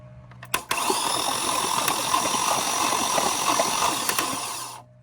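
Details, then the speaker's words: Flood-damaged 2004 Cadillac DTS convertible cranking with ATF in the cylinders: an even four-second whir with light rhythmic puffs and no compression drag. The starter gets power and is good, and the engine turns freely. "So we know that our starter is getting power and that our starter is good. And you can see the engine rotates with no issues whatsoever."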